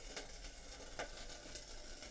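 A steady frying-pan sizzle with scattered pops and crackles comes from a water heater's sooted heating element.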